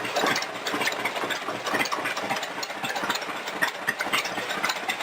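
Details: Home-built rat rod roadster petrol engine just cold-started, cable shortened: steady even idle with light valve-train chatter, runs clean with no misfire.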